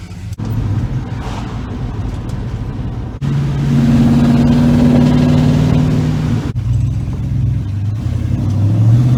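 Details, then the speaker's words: 1967 Ford Galaxie with a newly installed Ford 9-inch rear end, on a test drive: the engine pulls through the gears with smooth tones and no whine, clunk or squeak from the rear; the axle sounds normal. "oh no squeaks nothing that sounds out of the ordinary"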